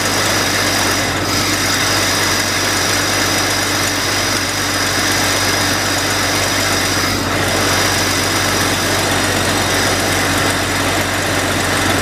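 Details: Jeep XJ idle after cleaning the idle air control valve and throttle body to cure stalling at idle: smooth, even constant low drone with no stumbling, hunting or stalling; normal idle.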